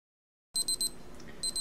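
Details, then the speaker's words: Benchtop steam sterilizer (pressure cooker) timer alarm: sharp high electronic beeps in bursts of four with pauses, marking about half an hour of sterilizing before pressure release; nothing wrong. "That's my timer saying this has been sterilizing for about a half hour."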